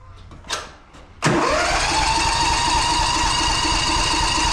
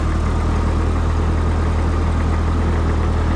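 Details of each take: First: Old John Deere cold start at 11 degrees, possibly flooded: starter whirs steadily about two beats a second for six seconds, never catching; cranks but won't start. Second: Old vehicle on a cold start after sitting all winter since last fall, battery left in: steady low idle with even firing pulses and no knocks, misses or rattles. Smooth, normal idle.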